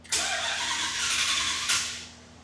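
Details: 1984 Dodge W100 truck, hard cold start: a short hiss-like bout of cranking about a second and a half, then it dies; normally needs the accelerator pumped many times, before the cold-start fix.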